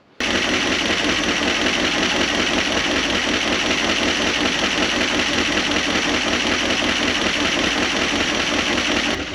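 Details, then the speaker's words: 1976 Dodge D600, small-block V8 (maybe 318), off the road since 2000, first run, Cherry Bomb exhaust: uneven idle with fast light ticking over loud exhaust; noisy lifters, owner thinks they need to pump up. "those are some noisy lifters in this thing I think they probably just need a load up but sounds pretty good out of that Old Cherry Bomb"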